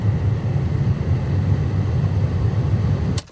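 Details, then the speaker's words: 2005 Toyota Tacoma cabin climate control blower motor, located in the passenger footwell under the glovebox: steady even low hum with no vibration, then cuts off. "The climate control should sound like this."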